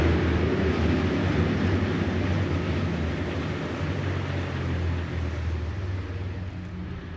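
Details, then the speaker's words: Jeep Wrangler TJ cruising slowly after off-roading, earlier rubbing noise blamed on mud and debris in the wheels: steady low road and engine rumble with no knocks, grinding or squeals; normal driving noise. "I don't really hear anything that doesn't sound like it should be there obviously Jeeps make a bunch of different weird noises but uh it doesn't sound like anything's broken so that's good"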